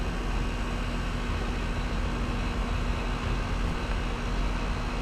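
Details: Split-system condenser after restricted-coil replacement: steady compressor and fan drone, no knocking; head 263–270 psi, suction 106 psi, 34° evaporator, 19° superheat, subcooling rising 7° to 10°; normal running.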